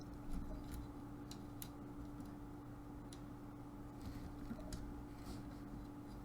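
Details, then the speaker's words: Dell Inspiron 15 3576 after repair of a dropped laptop whose fan was extremely loud and stalled at full speed: faint, even hum with no rattle or grinding, only the odd light click; fan now running quietly and healthy. "put the fans on and it's quiet all right the keyboard works the trackpad works it charges the usb works"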